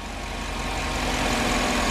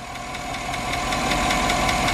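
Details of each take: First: nice and quiet now but if you hear it that lifter is building up oil pressure and then the tick goes away Second: 2008 Chevrolet Tahoe 5.3 V8, 2WD, with active fuel management: sharp, even tick about five times a second at idle from a collapsed lifter; the tick goes away when revved and returns after restart once oil pressure bleeds down.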